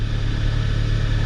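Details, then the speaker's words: 2013 Kia Optima 2.4L GDI idling after knock sensor replacement for code P1326: smooth, quiet low hum with no hesitation, chirp or stumble. Normal idle. "all right she's quiet right now she's not hesitating she's not chirping she's not"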